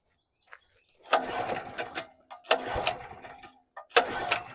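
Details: Portable generator with a replaced carburetor, still running old gas, on a hot-start attempt: three pull-start bursts that fire briefly then die. The hot engine won't run without choke.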